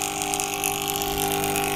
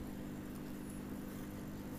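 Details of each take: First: Aquarium air pump running: loud, steady buzzing hum with fixed tone, very noisy but giving no air at all; clogged pump chamber. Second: Aquarium air pump after repair with screws tightened, microphone held close: soft steady low hum with no rattle or buzz; pump runs quietly and smoothly.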